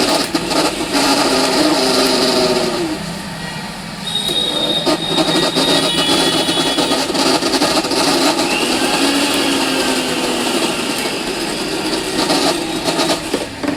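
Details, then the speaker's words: Philips 16+16 mixer grinder, run before opening. Loud, harsh, rough whirring with a rattly edge throughout, far noisier than normal. Excessive noise inside, cause not yet found. "इसके अंदर बहुत ज्यादा आवाज आ रही है। बहुत ज्यादा इसके अंदर आवाज है।"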